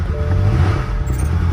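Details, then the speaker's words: BMW M car at a salvage auction, possibly doctored, started after several failed attempts: rough, uneven running then a deep steady rumble; engine oil pressure warning came on, so it was shut down immediately. "Engine oil pressure. I shut it down. That was me. I shut it down because I saw that engine oil thing pop up, and that's a no-no."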